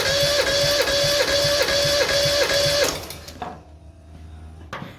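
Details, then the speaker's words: Mazda 323F 1.5 after head gasket failure, with a second-hand head (valves lapped), new head gasket and bolts; compression test on cylinder 2 with plugs out. Even starter cranking, about 2.5 beats per second, no uneven strokes, reads 150: good compression. "So that's 150, which is quite good."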